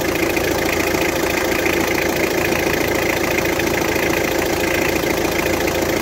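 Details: Car engine after repair, with a new water pump and replaced valve cover gasket, idling at a steady even pace with no knocking or rattling; normal idle.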